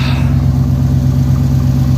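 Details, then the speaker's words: OBS GMC Sierra V8 first start after replacing one exhaust manifold gasket: deep idle with fast puffing tick; other side's manifold now clearly leaking, its gasket not yet replaced. "well sounds like the other side leaks now the other side is definitely leaking but it wasn't out of this side so I do have the other gasket"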